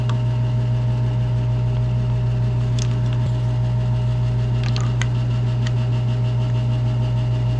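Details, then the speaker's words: Polaris Ranger 900 XP bought as a non-runner, engine cranking on the starter during a compression test: fast, even, light cranking about 200 beats a minute with no strong firing pulses; readings only about 50 and 10, suspected holed piston or open valves. "all right so as you saw we took a little compression test on the old cylinders here and we didn't end up with much 50 and 10 or something terrible so there's not much there there's either a hole in a piston or the valves are open or something's going on"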